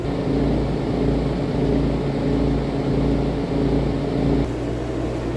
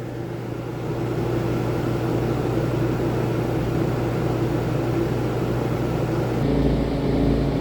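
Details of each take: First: RV rooftop AC fan motor vibrating because of missing bolts at its rubber-grommet mounts, recorded before the fix, giving a heavy low rumble with an uneven knocking, thumping beat. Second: RV rooftop air conditioner heard from inside after a fix: two fan bolts that had fallen out of their rubber grommets were refitted, and the earlier rumbling and knocking is gone, leaving a smooth, even hum and airflow.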